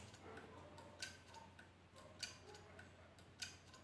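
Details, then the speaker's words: Home-repaired hard drive after PCB and platter swap, in an external enclosure: faint spin hum with a sharp click roughly every second, steadily repeating; heads crashing, later found scratching the platter surface. "You can hear the sound, it is rotating, but something is wrong inside."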